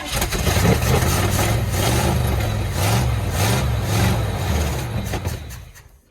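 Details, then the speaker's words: 1969 Chevrolet C10 V8 in an unknown-condition truck on first start: it catches and chugs unevenly for about five seconds, then stalls. The starter is also failing and often just spins. "I wasn't sure what all I got into the motor ran for about five seconds"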